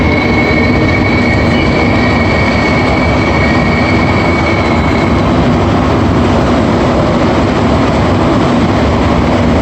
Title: AZUR metro train Set 3 making a weird whistling noise as it leaves each station.